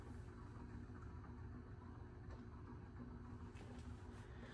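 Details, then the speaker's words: 2000 Heritage Alexis ceiling fan running on low speed: steady low rumble and faint drone, bearings so loud fan is unusable; worn bearings need replacing. "Yeah, right now this is totally unusable because those bearings are so loud. As I've said many times in the video already, they need to get replaced."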